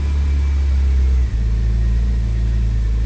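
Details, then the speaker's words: BMW E36 M3 six-cylinder after oil filter housing gasket, cleaned idle control valve, new intake boot and idle control valve hose for rough low-rpm idle: deep, steady, even rumble with no stumbles; idles smoother than before. "so it's idling better than it was before the hose anyways that's it for this video thank you for watching until next time"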